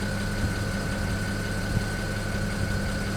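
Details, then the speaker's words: BMW 335i N54 at idle after installing index 12 injectors. Fine, fast ticking over the engine note with a faint high tone: the injectors remain noisy, slightly improved, with insulation cut for the oil catch can also suspected of adding noise. "as you can hear there's a little bit of an improvement but the injectors are just so damn noisy on this car but it is what it is i guess"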